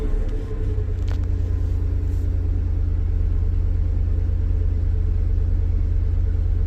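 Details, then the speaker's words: 1996 Chevy S10 4.3 V6 with Holley Sniper EFI and TSP distributor swap, just after its third cold start at 43° coolant. Deep, even rumble settles to a steady idle with no misses. The earlier lean 19-18 AFR is now getting good cold enrichment. "doing what it's supposed to now even though it doesn't learn when it's cold before the air fuel ratio it was like 19 18 so it was running fairly Lan"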